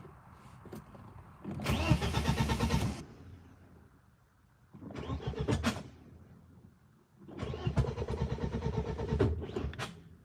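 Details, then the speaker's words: BMW E36 M42 on new Microsquirt standalone ECU, unrun for about six weeks, sensors calibrated: three cranking bursts of one to two seconds, steady starter churn but never fires; cause unknown, fuses to be checked. "It is not starting. Let's try something. Check the fuses."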